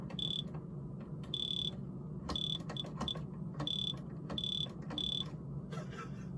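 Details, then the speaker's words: Old household carbon monoxide detector, over 10 years old: short, shrill chirps repeat about once a second in a stuttering run over a quiet room. It is signalling end of life and needs replacing. "You should get a new... that noise? I don't know. Yeah. It's probably dead. What? You probably need a new one."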